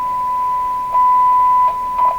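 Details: 1929 Victor RE-45 radio during neutralization adjustment with an unheated tube in the stage: a steady pure whistle near one kilohertz from the speaker, swelling in bursts while adjusting, growing quieter as tuned; the set is oscillating.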